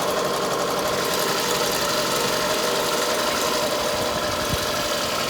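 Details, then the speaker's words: Detailed car at auction with new motor mounts, running on its own power with check engine light on: uneven stumbling idle with irregular exhaust dips; misfire at idle. "oh yeah she's got a misfire to it for sure"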